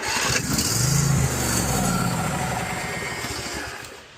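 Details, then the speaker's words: Husqvarna riding mower single-cylinder engine, starter jumped directly, starting fluid sprayed into the carburetor; coughs and fires unevenly a few seconds then dies, carburetor needs cleaning or replacing; also needs starter solenoid and battery. "It tells me carburetor needs clean or replaced, and she's gonna need a starter solenoid and a battery so far."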